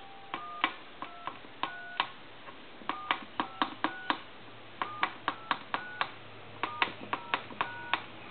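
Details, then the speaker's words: Military TA tactical field telephone after repair conversion, final checkout with handset set down; dialing gives short two-tone beeps in quick groups, each press clean and distinct over a quiet room; normal DTMF dialing. "I'm going to set the handset down, and I'm going to dial your numbers."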